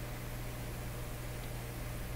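A steady low hum sits under faint hiss and never changes. The amplifier is humming, and the source is still unfound.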